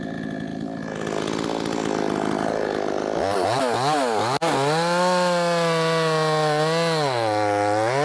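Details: Brand-new, unbroken-in Wemars 6220 clone two-stroke chainsaw on shakedown run bogs steadily through a cut, then screams up to a clean high rev with even pitch swings; loud, powerful; normal running under load.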